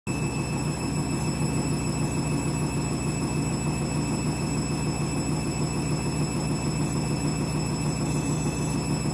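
Steady drum rumble with a fast regular beat, about three a second, and a thin high whine as the spin builds; an abnormal spin noise.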